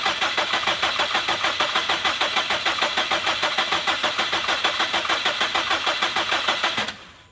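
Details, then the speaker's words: 2017 Subaru STI (VA) with a freshly swapped engine on a base map: it fired briefly and died, then the starter cranks steadily at about three turns a second for seven seconds without catching. Fuel pressure read low and was raised afterward. Crank, no start. "so it fired didn't last very long died and uh then it sounds like it didn't want to do anything else"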